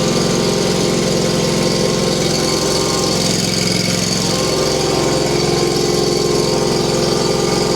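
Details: Frozen Hustler Trimstar mower with Kawasaki engine, cold-started on a freezing December morning by heating the cylinder directly instead of more starting fluid; steady, even beat around two to three pulses a second, no knock or misfire: normal running after cold start.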